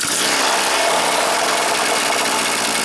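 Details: Stihl FS 400 brushcutter that wouldn't start: the two-stroke fires from cold on choke and buzzes at a steady high pitch, starting and running properly; old fuel was the cause.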